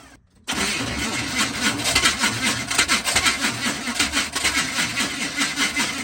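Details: 1980 Chevy K30 squarebody, TH350 automatic, about 15 degrees out, fuel hose not yet replaced, fuel rigged from a can instead of the gas tank: cranks and catches, runs rough with surging pulses for about two seconds, then stalls.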